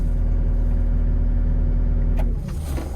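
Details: Doosan DX85 excavator that wouldn't start: no relay clicking, then steady, even diesel clatter with no stumbling; starts and runs cleanly; normal running.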